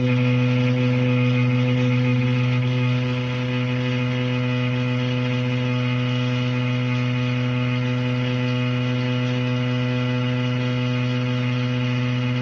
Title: Anyone know why the shower is making that noise????